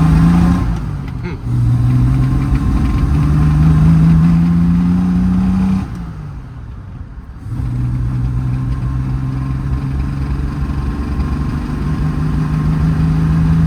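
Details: 1972 Triumph TR6 with ignition timing advanced to roughly 8–10° BTDC, on the ground before a test drive: low drone that rises, falls and dips, then settles to an uneven idle; rough idle, suspected very rich, carb dashpot air valves suspected sticking.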